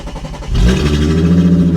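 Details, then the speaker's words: Vehicle at Copart, 206,915 miles, sat a couple of years, catalytic converter stolen: engine catches and settles into a loud, raw, deep drone far louder than stock because the cat is missing. "uh somebody somebody took the catalytic converter yeah somebody took the cat that's a shame"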